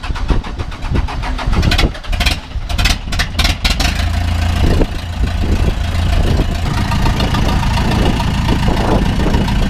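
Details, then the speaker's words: 2000 Ford F150 with swapped Cummins 4BT diesel, no turbo, cold: some clatter and revving, then settles into a steady, even low idle with no knock; healthy engine, transmission mount needs attention. "but it runs it doesn't knock it sounds good yeah yeah yeah"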